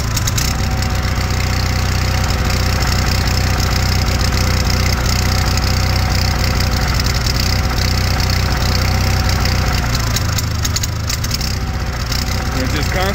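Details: Onan 6 kW generator on a 1977 GMC Eleganza II motorhome, fully warmed, carburetor already cleaned: loud drone with speed rising and falling, surging and hunting; intake manifold freezing while running.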